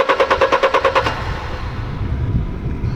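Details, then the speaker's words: Mercedes-Benz E-Class W210 220 CDI diesel with a crank-no-start after a warm-up stall; codes P1354-016/032 (no crankshaft signal). Fast, even cranking pulses, no firing. The scope shows a totally dead crankshaft sensor signal, so the sensor is faulty. "So yeah, totally dead signal from the crankshaft itself, from the crankshaft sensor. So yeah, for sure we have a faulty crankshaft sensor."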